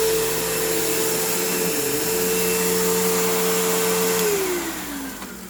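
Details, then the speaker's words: Used Kenmore PowerPath vacuum that needs a basic service: the brush roll needs work and the belt needs changing. A steady motor whine cuts off, then the pitch sags slowly over about a second and a half, a long and sluggish motor wind-down after switch-off. "You can hear that long motor wind down, which isn't great."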